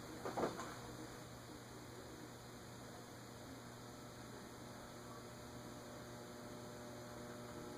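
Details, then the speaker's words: Hunter Hotel Original ceiling fan model 52-H/23702, freed from seizure with WD40 and oil, on solid-state speed control near 0.11 setting: steady low electrical hum with faint buzz as motor starts. "Looks like 0.11 is where it starts, but I hear it buzzing already."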